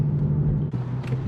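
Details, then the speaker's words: 2010 Dodge Charger 3.5L V6 driving a few days after timing belt, water pump and thermostat replacement: brief smooth low rumble under light acceleration with no ticks or slaps; runs smooth and healthy. "so at this point i've had the timing belt in for a few days now drives smooth drives nice sounds like it's in perfect"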